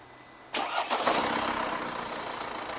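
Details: Mercedes-Benz E220 after unplugging the oxygen sensor connector whose wiring was pinched by the cover during an oil change, shorting the 5V ECU sensor supply; short crank, engine catches and settles into steady even idle; normal start after fix.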